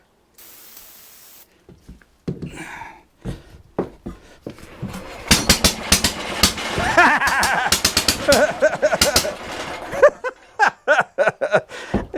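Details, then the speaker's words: Antique Briggs & Stratton single on a homemade mini tractor, with a makeshift ignition and starting fluid in the carburetor: irregular sharp pops turn into a ragged burst of firing that sputters out; it runs briefly on ether. "heck yeah man woo all right all right guys that's the first time that thing is run and there ain't no telling how long I mean it was just a square to Ether"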